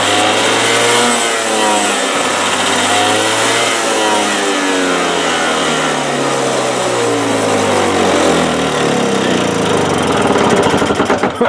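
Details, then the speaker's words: 1984 Craftsman snow blower, pull-started at half choke after a new carburetor was fitted: small single-cylinder engine running fast and steady with even firing and no misses, tines spinning; slow to shut off but runs normally. "runs good takes it a while to shut off but runs good the tines are spinning"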